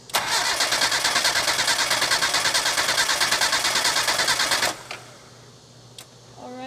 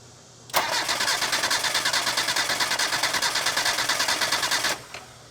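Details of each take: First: Mazda Miata cranking about four seconds with cam angle sensor unplugged during a compression test, steady even starter cranking, cylinder reading about 120–125 psi, matching the others; normal cranking with even compression. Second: Mazda Miata engine cranking for about four seconds during compression test, about three even beats per second, no weak stroke; cylinder reads around 120–125, cylinder two lower, possibly worn rings.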